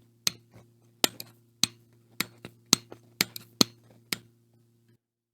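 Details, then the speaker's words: Howa 1500 rifle converted to 6.5 Creedmoor in Woox chassis, microphone held close: sharp metallic clicks about once a second as laying the stock on, untorqued, moves the trigger's safety lever and fires it; stock part interferes. "Yep, I see it still moving the freaking safety lever. Turns out, it's the dang this part right there. That part right there was conflicting with right there."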